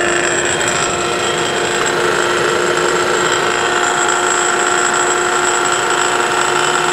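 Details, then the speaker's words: Rebuilt forklift motor for a Geo Metro electric conversion, spinning unloaded on 12 volts in corrected direction; steady whirring hum with faint uneven rattle and wobble, something out of balance, cause not yet known. "there is a little bit of a wobble and a little bit of a rattle in there um something is not quite perfectly balanced"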